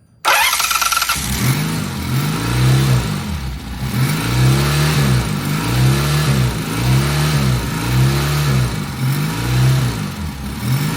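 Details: Vintage British twin motorcycle, first start with carb balancing under way: catches and settles into a steady even pulsing run with no knocks or misses; healthy, good oil pressure.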